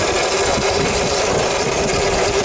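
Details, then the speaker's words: Mototec electric dirt bike after tightening the loose drive chain that was rubbing on the metal bar: the clicking is nearly gone, leaving a steady mid-pitched motor whine over a rough rushing drive noise; normal motor whine. "it's not merely as bad in real life and even now you can barely even hear that clicking anymore it's more just of the actual motor now making that noise"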